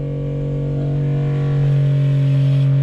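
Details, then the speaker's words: Schenker ZEN 30 watermaker on a 33 ft sailboat after installation, started with depressurization valve open, only flushing water without building pressure: steady low hum settling into an even drone, no knocking or strain; normal start-up with air purging. "so what what the system is doing now is it's only flushing all the water but it's not building up any pressure"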